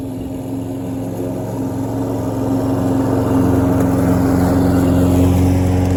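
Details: Troy-Bilt self-propelled mower after carburetor needle seat repair, cutting grass: steady even drone holding pitch, no bogging or surging; pulling strong under load.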